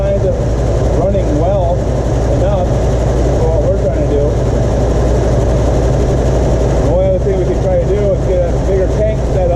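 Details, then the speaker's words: 1977 Ford F-250 4x4 with 351 Cleveland V8, revived after long storage, running off a temporary gas tank with old fuel, throttle held by hand: deep, even rumble with steady beat, no misses or knocks; some smoke, but running smoothly. "it's good to hear it run of course there's going to be some smoke and some stuff but it's at least running"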